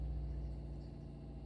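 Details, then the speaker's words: Automatic water pump under the caravan floor recharging pressure after the water heater was lit: low steady hum without rattle or surging; pump runs normally, stops once system is repressurized, hot and cold water working. "Donc la pompe fonctionne, le chauffe-eau on vient d'allumer et on a de l'eau chaude et on a de l'eau froide. Et vous pouvez entendre la pompe qui recharge en eau,"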